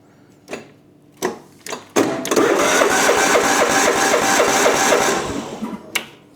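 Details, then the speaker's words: John Deere lawn tractor, crank-no-start: starter and key switch working, steady cranking about four turns a second for roughly three seconds, engine turns over but never fires; cause not yet identified. "So, this is a classic crank but no fire scenario. So, the engine's cranking over."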